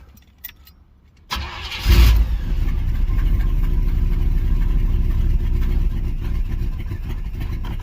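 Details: 305 H.O. small-block Chevy, first cold start of the day at 61°F, choke open, after one gas pump: starter catches into rough uneven low rumble about to die; stalls unless gas held down, cause unconfirmed.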